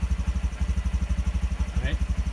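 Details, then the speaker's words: Trail125 single-cylinder engine idling in neutral at 1400 rpm, shown on a tachometer: steady, even putter of about eleven beats a second with no misses or knocks; healthy idle. "is idle down so um so i believe this spec for this um uh the idle speed is uh 1400 rpms"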